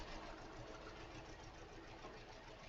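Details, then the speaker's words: 2013 Hyundai Elantra four-cylinder with coil-on-plug ignition and flashing check engine light: uneven, stumbling idle with irregular dull thumps, engine visibly vibrating, like a struggling lawnmower; misfiring. "w well you can hear it, but this thing sounds like a lawnmower that's having a bad day. And if I get this thing open, and it's definitely misfiring. You can take one look at the engine and see it vibrating."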